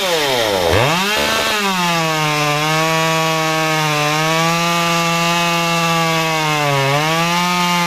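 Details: Modified Stihl 193T climbing saw (muffler mod, ~8–9° timing advance, limiters removed, 93 non-E fuel, 16-inch bar, PS3 .050 full-chisel chain) cutting a log: revs up, dips as chain bites, holds steady high whine without bogging or stalling; normal.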